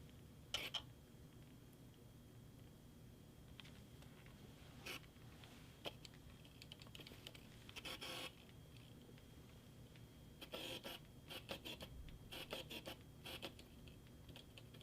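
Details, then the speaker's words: Sony FE 50mm f/1.8 lens on a Sony a6100, autofocus hunting: scratchy whirring and ticking bursts loud enough to reach the mic, from low-quality focus motor actuators. Loud autofocus motor noise. "If you can hear that through my mic right there, that also lets you know how loud the motor actuators is within the focus system of the lens. Sony did not use high quality motors for this, and that's why it's very loud."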